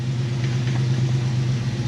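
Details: 1995 Jeep Wrangler YJ 4.0 at 156,013 miles, just started after repairs and an axle re-ratio, with oil pressure and voltage good. Smooth, even low idle hum with no ticking or misses. Normal idle.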